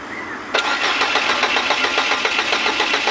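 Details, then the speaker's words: Ford Figo: steady starter cranking at about four compressions a second, never fires; the fuel pump gets no current, so no fuel reaches the injectors, traced through the wiring to a shorted fuel pump relay. "अभी हम इसको self मार के देखते हैं start नहीं हो रही है फ्यूल अपना भी बराबर है काटा देख सकते हो स्टार्ट नहीं हो रही है"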